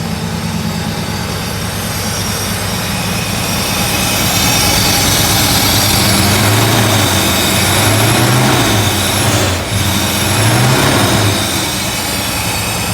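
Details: Euro Mercedes 6.9, still cold after sitting overnight: deep, loud, slightly quick idle with open exhaust roar; idling a little high, oil pressure still good, temperature coming up slowly.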